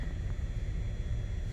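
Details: 2014 Ford F-150 XLT 3.5L with blower motor stuck-on-high complaint, blower set to lowest speed: low, steady airy rumble with no rattle, squeal or speed hunting, drawing just under 4 amps; normal low-speed blower operation.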